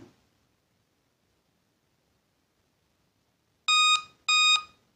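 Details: Laptop beeps twice at power-on with error "memory was detected on previous boot", persisting after 30-second hard reset; error attributed to a bad RAM module.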